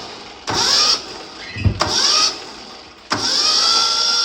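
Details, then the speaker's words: Yanmar 1500D tractor, likely 2TR15 engine, after replacing the starter solenoid, compression release on: three brisk high-whirr cranking bursts, no clicking or dragging; spins much faster than with the old solenoid. "I can tell you it's spinning a lot faster already as it is compared to what it used to with this old solenoid here, original one."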